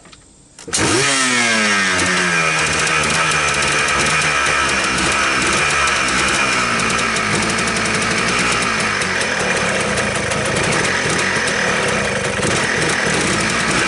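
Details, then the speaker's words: 1999 Yamaha Blaster two-stroke after cleaning mouse-nest debris from the airbox, reeds and engine, fresh air cleaner, 32:1 premix: cold start catches within a second, revs and settles into a loud, crisp steady buzz; normal cold start. "by the way this is a cold start right so I'm going to set the camera up on the tripod we'll give it a kick while it warms up"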